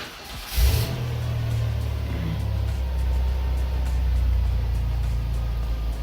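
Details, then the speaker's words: Van with a suspect battery, cranked warm after running: resting 12.9 V drops to 11.2 V lowest during the brief crank, quick catch to a low even idle; alternator then charges at 14.5 V. Normal cranking and start, multimeter battery/alternator test. "we're at 12.9 I'm just going to crank it over and see where we drop to while we try and"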